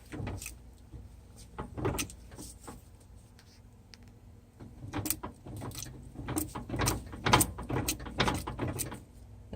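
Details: Ford 8.8 TracLock limited-slip rear axle (from an Explorer or F150) in a 1998 Jeep Cherokee XJ, wheel turned slowly by hand while loading the other side: irregular heavy clunks and clicks with a low groan. Worn spider gears suspected (1/8" play); clutch packs feel good.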